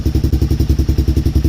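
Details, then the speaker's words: DVX400 quad, cold start on choke in sub-freezing weather after repair and reassembly: single cylinder thumping evenly, about nine beats a second, ticking noise gone, much quieter; normal idle, idle to be raised slightly. "Oh my gosh, it is so much quieter now. Yeah, she sounds so much better. No ticking noise whatsoever."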